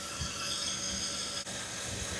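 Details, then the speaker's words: 2009 Chevy Impala with overheating history, checked before 2500 rpm run: steady high hiss at radiator neck over faint engine rumble as coolant pushes out at the cap; cause not yet known. "Uh-oh. It was coming out. So, I screwed it back on. Why? Why is it coming out? It should be very much going in."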